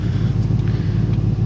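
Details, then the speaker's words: 1995 Ford Mustang 5.0 V8, first start after sitting about four months, booster pack: steady low burble at idle with even, regular pulses and no knocking or ticking; runs well. "I should pray again it's a good runner no knocking or nothing"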